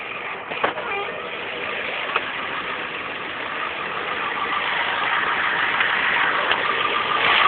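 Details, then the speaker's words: 1992 Ford F-350 7.3 IDI non-turbo diesel at idle: rough clatter with a loose knock about four times a second; it began intermittently and used to stop when revved, now constant; owner suspects injection pump, injectors, lifter or valve, cause unknown. "all right well trucks just started making this weird noise I don't know if it's a lifter injector or what it could be"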